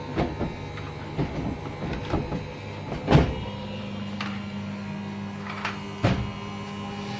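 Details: Beko/Condor EV7103 front-loader: a few soft thumps as the drum tumbles, then an even low hum as it settles into spin, so the washer is running normally.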